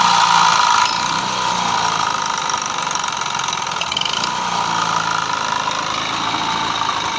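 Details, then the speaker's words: Yamaha Fascino BS3 scooter engine before full engine rebuild: harsh, rapid rattling knock through the idle, loudest at the start; crankshaft bearing had failed and connecting rod was loose, both replaced. "तो भाई इसका कम था फूल engine का तो crack का जो bearing था वो चला गया था और क्रैक रोड जो है वो भी लेट उसमें तो वो भी हमने चेंज किया"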